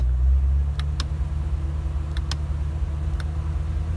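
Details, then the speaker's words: Small-block Chevy with homemade manual idle air control stepper circuit: steady, even drone held at raised idle near 2000 rpm, no stumbles or misses. "we can go for a 2000 we got 2,000 reps and I've just marked out the positions"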